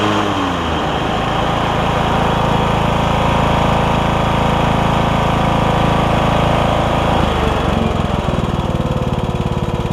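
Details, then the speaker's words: Troy-Bilt Bronco lawn tractor after new drive and deck belts and deck repairs, running on concrete: engine smooth and even with steady drone and deck whirring, about half as loud as before; no knocks or squeals. "the deck seems to be probably about half as loud as it was"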